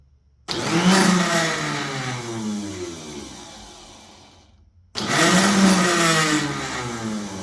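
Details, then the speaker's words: Yard Machine snowblower starter motor run on the bench after lubrication; two short bursts of high whirring spin winding down each time, turning freely; starter motor bench run. "Yeah, now it's contracting even better now now that we lubed it up a little bit."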